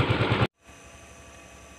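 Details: Yamaha Mio M3 125 scooter, hard to start with no stable idle and MIL code 28, after the EOT sensor connection was repaired: after a loud burst, a low, steady, even putter with regular pulses; it idles smoothly and the code is cleared.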